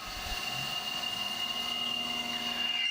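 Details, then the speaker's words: CNC deep finishing pass on an AR15 gasblock, 0.005 in width of cut, started at 1200 rpm and lowered by override until it sounds okay, stopping at 960 rpm: thin steady high squeal over cut; end mill chatter. "it's a little chattery so i go ahead and i'm just hitting the override button downwards until it sounds okay and i ended up stopping at 960 right there"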